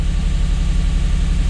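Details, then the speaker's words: Lexus IS200 automatic with code P0301 (cylinder 1 misfire), restarted after repair work: low idle feels juddery and lumpy with a missing beat and no warning light; it still misfires. "yeah that's not right firing it is firing that injector yeah it's definitely not right there's no warning light on at the moment but it's definitely not running right"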